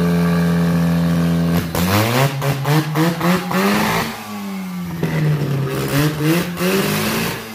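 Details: Freshly rebuilt rotary engine for a Ford Ranger swap, first test run on the old carburetor, smoking two-stroke oil. It buzzes at idle, then blips up and down in quick revs with pitch rising and falling cleanly, so it runs okay but still needs tuning.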